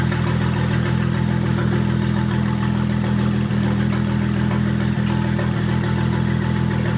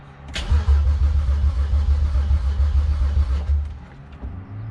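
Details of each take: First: 2001 BMW 325i Touring E46 wagon with swapped N54 twin-turbo engine, first start after earlier crankshaft-sensor and fuel-pressure fault codes: steady, even idle with a regular beat of about 220 per minute, no misfires or knocks; running healthy. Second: BMW E46 wagon (2001 325it) with swapped N54 twin-turbo engine, first start attempt: steady starter churn about 3.5 compression beats per second, no firing, fuel pump disconnected so no fuel reaching engine.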